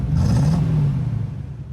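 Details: Deep, even V8 rumble with no misses, knocks or rattles from a GMC Sierra Classic (C10) stock 305 ci small block, driven 5–10 miles after K-Seal treatment for a suspected blown head gasket from overheating; no smoke, temperature good, running normally.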